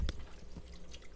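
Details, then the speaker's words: Washer drain pipe leaking with suds in the water while the washer runs; sparse wet drips in a quiet room; washer to be shut off until the pipe is fixed. "pipe is leaking got powering right there and you got suds in it which means it's the washer that's running it's not good guys"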